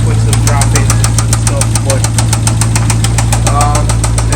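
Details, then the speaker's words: Jeep Trackhawk with rod bearing failure, just started: sharp steady knock about twice a second from the bottom end over deep engine drone; rod knock from worn bearings. "Okay, so we got it started and she is knocking. Oh, yeah. And that Yep. It's coming from the bottom portion of the engine."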